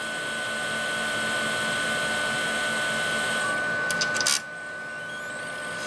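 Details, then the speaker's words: HP StorageWorks 1/8 tape autoloader drive rewinding tape into the cartridge: thin steady high whine with soft whir for about four seconds then stops; PWM motor drive gives musical-note-like tones as it spins up. Normal rewind motor whine. "It may not pick up on camera too well, but you can actually hear like the PWM motor drive playing like musical notes, like as it revs up in speed."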